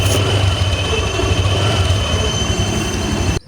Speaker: hari ini kita kedatangan motor dengan keluhan suaranya bergecit guys coba dengarkan baik-baik